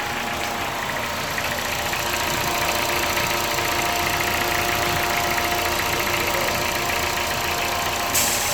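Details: Car with a year-long worsening rough idle and fault code P1519, after cleaning the IACV; fine for 30 minutes parked, then rough again: uneven, slightly lumpy idle under a hissy top end. Owner plans to see a mechanic.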